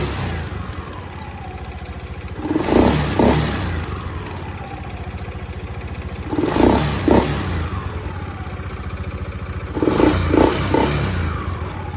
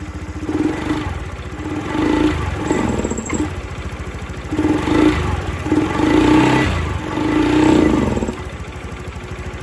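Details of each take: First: Honda Scoopy-i scooter after replacing the ECU, which had hesitated and ticked on acceleration: idles steadily, then four quick clean throttle blips each winding down smoothly to idle; normal idle and revving restored. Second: Honda Scoopy-i scooter blipped repeatedly: revs stay flat and stumble with a light ticking. The faulty ECU under the front panel was replaced, after which the engine returned to normal.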